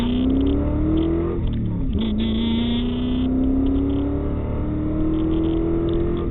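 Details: 1998 Ford Mustang GT V8 after a PI (Performance Improved) head swap with ported and polished heads and BBK valve covers, revving: pitch climbs smoothly on each rev, dips briefly and pulls up cleanly with no misfire; healthy running engine.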